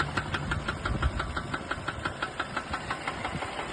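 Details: Mercedes A220 before an engine rebuild: steady, evenly spaced knocking about three times a second over a low idle rumble from inside the engine; new piston, rings and bearings planned, cause not confirmed.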